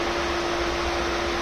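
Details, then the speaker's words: Pentair IntelliFlo 2 VST pool pump after repair: steady smooth motor hum with an even rushing whoosh, no rattles or grinding; normal running. "well finally got this thing running I'm going to leave it running overnight pump is running and we got it all fixed and I didn't have to buy a new"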